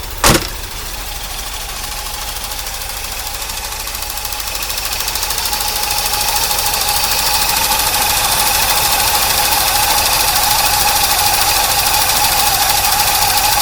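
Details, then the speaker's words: 1982 Corvette C3 after fuel system overhaul, just started, cold with a vacuum leak noted: light quick ticking over the running note at idle; throttle body injectors ticking. "You can hear those throttle bodies popping. Tick, tick, tick, tick, tick."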